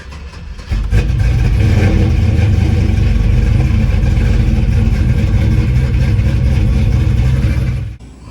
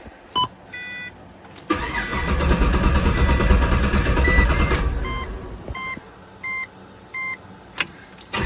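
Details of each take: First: Pontiac GTO first start after refitting the fuel tank and jump-starting (battery dead, possibly a loose connection): engine fires within a second and runs steady and even for seven seconds before shutting off; starts and runs normally. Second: Rebuilt Pontiac GTO after fuel hose leak repair: chimes, then about three seconds of steady even cranking that never fires; no fuel pressure though pump heard, leak traced to faulty fitting, not hose.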